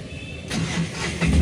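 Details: Tata Ace Gold diesel with new combination switch: quiet, then with the clutch pressed the starter catches and the engine fires within about a second; normal start.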